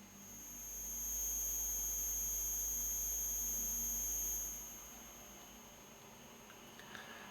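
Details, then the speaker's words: Soundmaster SD-3 Disco Beat, line output recorded: a steady high-pitched ringing tone in the background, caused by a bad power adapter feeding noise into the audio. "now it's lined can you hear that ringing noise in the background"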